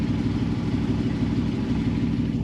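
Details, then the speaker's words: 2009 Jeep JK with swapped 6.4L 392 Hemi and 8HP70 transmission, after valve body computer replacement, heard outside: smooth, even low rumble with no ticking or misses; idling nicely, temp settling around 205, some dash lights on. "it's running good we got a couple uh lights on the dash right here but it's idling nicely"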